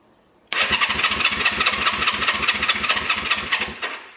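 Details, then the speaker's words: 1974 Honda CB360 motorcycle, cranking on electric starter with about seven even compression beats a second but not firing; no spark, traced to ignition coil wires disconnected. "i don't think we have any spark i noticed one switch was off maybe that'll make a difference not sure let's try it"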